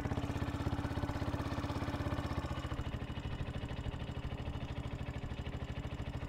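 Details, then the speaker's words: Yamaha WR125 single-cylinder motorbike, warm, after replacing split inlet manifold boot and dropping idle right down: even steady putter, no misses, revs settling lower and smoother partway through; healthy idle. "there you go just drop that to over right down all right so now we've warmed the bike up and sorted the uh split boot on the inlet manold"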